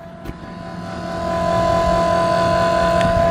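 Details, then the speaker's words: Second-gen Dodge Ram 2500 Cummins with VP44 pump, crank no-start diagnosis, key on: even electric hum and steady whine of lift pump powering up, later showing 15 psi fuel pressure; normal lift pump operation. "So when you turn the key on, you can hear the lift pump power up."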